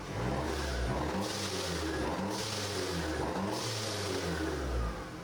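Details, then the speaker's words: Mercedes C250 just after an engine rebuild, first start, warmed up until the fans kicked on with normal temps: clean, even revs climbing and falling three times with no ticks, knocks or rattles; engine runs very smoothly. "Just for you guys, I don't know if I'm supposed to do this, but I'm going to give you guys like a small rev clip um so you guys can hear what it sounds like."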